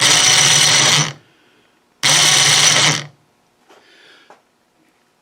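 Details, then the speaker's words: Snow blower chute-rotation winch motor bench-run on jumper leads: two one-second bursts of harsh high-pitched gear whine and rattle; noisy gearbox, owner unsure whether it is bad, needs grease or is normal for winches. "but anyway that uh winch motor that it has make an awful racket i don't know whether the gearbox is bad maybe just needs grease or maybe it's just common that winch motors make a lot of noise"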